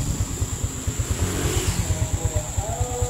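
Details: Suzuki Smash/Shogun SP 125 that had lost ignition, now running without a battery after jumping the yellow-white-striped wire to the red wire: even single-cylinder idle at about three firing pulses a second, steady with no misfires, idling normally.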